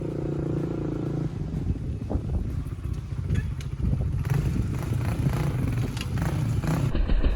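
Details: 1996 Honda TRX300EX quad after front sprocket repair by welding, chain reinstalled, warmed up: engine pulls and revs with low, uneven throttle-driven rumble and some chassis rattle, no knocks or slipping; runs fine.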